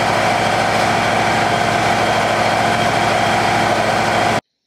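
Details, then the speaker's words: Wood-Mizer LT35 sawmill, Kohler Command Pro 25HP, after a no-start from fuel starvation after two months' storage was cleared: smooth, even run at steady speed, no misses, knocks or surging, then shut off; runs healthy. "we got it to crank and that was it and now it runs great and it sounds like this"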